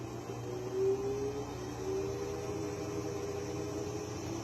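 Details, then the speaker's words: Brand-new Electrolux front-load washer on its high-speed spin: an even, jet-like whirring drone with a faint steady hum and no knocking, scraping or thumping. Normal high-RPM spin, not off balance. "So the washer is fine. That's just normal. Now, if it was like jumping all over the place and off balance, then yeah, then we have other issues."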